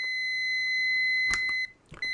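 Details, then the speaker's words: Multimeter continuity beep-test for automotive blade fuses, test leads reading 4.2 ohms: a steady high beep at 20 ohms lasts over 1.5 seconds, then briefly drops out. The beep threshold is roughly 50 ohms at 9 volts, so a beep only means under 50 ohms. "So, plus or minus roughly 50 ohms is the beep threshold of this meter. So, if you're testing a fuse with this meter and it beeps, it just means that fuse is less than 50 ohms at 9 volts."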